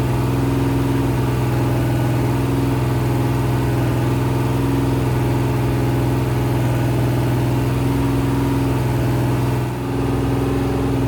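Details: Rebuilt 426 Hemi crate V8 (new heads, intake, pistons) on a run stand during flat-tappet cam break-in, near 15 minutes and about 210°, no fan: smooth, deep, even high-idle drone, no ticking or knocking; healthy break-in.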